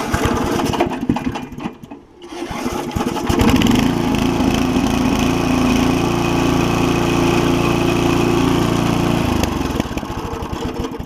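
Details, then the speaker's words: Mower after soldering a hole in the carburetor fuel cup with a propane torch and cleaning the carb jets; fires up and runs at an even steady drone for about six seconds with no misses, then shuts down cleanly; healthy. "A little bit time consuming to get these things off, but she's just running good now."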